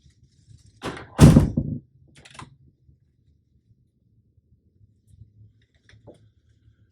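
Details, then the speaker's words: Door hinge after the hinge pin was removed, coated with petroleum jelly and tapped back in: the door swings with only a soft latch thunk and light knocks, and the former squeak is completely gone. "Total silence. So, that's it. That's literally all there is to uh lubricating a hinge pin."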